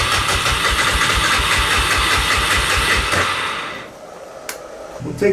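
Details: 1988 Honda FourTrax 300 4x4 ATV, sat for years with old fuel and suspected carburetor problems, on a little choke after a burnt spark plug was cleaned; starter chugs about 2.5 beats a second for three seconds, never catches.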